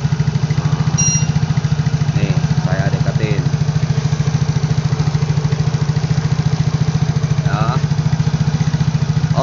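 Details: Yamaha Mio Soul GT 115 automatic scooter idling close to the engine after cleaning carbon from the head, valves and piston crown; even single-cylinder thump, no misses or ticking, smooth healthy idle.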